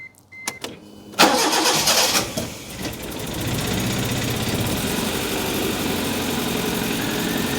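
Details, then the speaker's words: Proton Wira after draining bad fuel and fitting new injectors: after cranking it fires and idles with an uneven, stumbling beat; misfiring, with gunked-up plugs mentioned. "Well, it's misfiring. It is, isn't it?"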